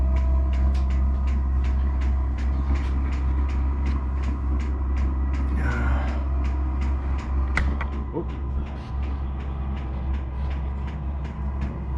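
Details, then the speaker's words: Vevor diesel air heater newly installed in a sea-can container knife-making shop, powered by an 11,000 W generator, on first test run: steady low fan roar with a regular fuel-pump tick about three or four per second; it works and heats normally. "Looks like it's working. Looks like it's heating."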